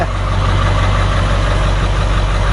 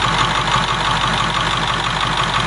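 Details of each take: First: 7.3 diesel swapped in for a 6.9 IDI on a 1989 International S1600, freshly started, high idle set: steady deep drone with a slightly uneven, lumpy beat; owner calls it a little rough. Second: 7.3 diesel swapped in for a 6.9 IDI on a 1989 International S1600, about 3/4 gallon of fuel run through so far, all working, no fuel bowl leak: steady even clatter at idle with a regular beat, no misses or knocks; healthy.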